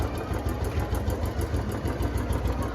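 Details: Royal Enfield Bullet 350 single-cylinder at idle after adding Abro Premium Oil Treatment engine oil additive: steady thump with a light, regular top-end tick riding on top; ticking persists unchanged after additive, source not pinned down.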